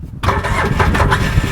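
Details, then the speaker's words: Polaris Ranger, increasingly hard to start, battery charged about 12 hours: starter drags over slowly and unevenly, barely turning, never catches; weak battery, voltage being checked. "just spins real slow just barely goes"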